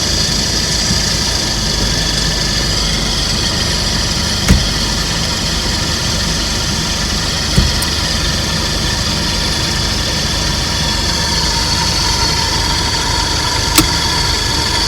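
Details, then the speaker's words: Suzuki Carry DA63T kei truck automatic at idle, after a rusted AT pipe leaked and was topped up with ENEOS ATF, now treated with WAKO'S AT PLUS: a thin, constant high-pitched "shari-shari" whine over the engine, possibly the oil pump; transmission whine. "どこが鳴ってるんですかね、このシャリシャリっていうのは。オイルポンプが鳴ってるんです"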